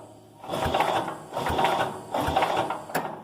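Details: Cub Cadet 107 garden tractor with a newly installed starter-generator, first key-start attempt with spark seen and before fuelling: three short, even cranking bursts, each a steady mechanical whirr turning the engine over freely; the starter-generator cranks properly.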